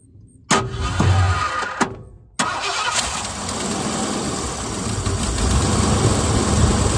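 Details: 1978 Ford Bronco Ranger XLT with a 400 engine, sat 20+ years, on a fresh battery. A couple of cranks and coughs, then it catches into a steady, even idle; normal first start.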